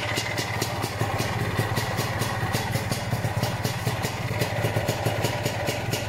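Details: Lambretta Series 2 SS225 two-stroke at idle, good compression, after a cold 60 km ride; fast, even metallic tick and scrape over the idle, source unknown; owner has ruled out the flywheel, the solid flywheel cover and a footboard split.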